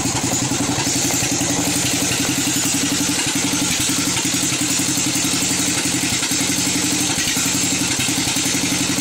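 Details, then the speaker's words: Craftsman 13.5 hp mower engine with gasoline in its oil, losing oil with no visible leak: busy, uneven clatter of about four beats a second but running fairly strong. Owner thinks it is too good for a cracked piston and suspects the rings. "my opinion is it's still running a little too good to be a cracked piston might be rings"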